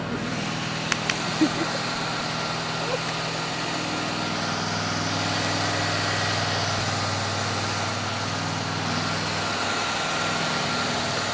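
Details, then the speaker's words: 1972 Chevelle left abandoned 24 years, cold start: steady V8 drone at a fast, even idle with no knocks or misses; idle set too high and being lowered. "This thing just fires up and idle nice. Now, how's it looking? Almost. Getting closer. Good. Get this idle down some."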